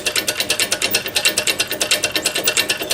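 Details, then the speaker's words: RACO mechanical crossing bell with a dented, damaged hammer, electromagnet adjusted: bright metallic strikes at about seven per second with wandering spacing and loudness. It runs unevenly, and the owner suspects his transformer, unconfirmed. "a bit unevenly I think sure that's my transformer or what is enough my other bells kind of do it so I think it might be related to my transformer"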